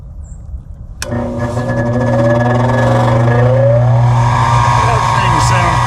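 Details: Goodman gas package unit that keeps quitting on heat, with its combustion inducer motor replaced several times, powered up with the control jumped: a sharp start, then the motor spins up to a strong drone with rough rising tones on top; the inducer is suspected.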